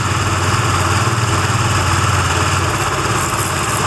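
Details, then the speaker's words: Benelli TNT25 250cc single at idle, camera close to the engine: a steady thrum with a thin bee-like whine and light rapid ticking, heard more on one side; three mechanics could not find the cause. "Ah pero el ruido en sí es ese que hace como una abejita como una yo lo escucho más de este lado"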